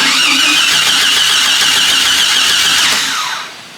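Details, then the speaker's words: Jeep XJ, about 210,000 on the gauge, died in the shop; starter cranks steadily about three seconds but never fires, no fuel pump heard, tach dropped and smells rich; owner suspects crank sensor or ignition switch; crank no start. "I don't hear the fuel pump, which is crazy cuz last time there's a fuel pump in a bucket."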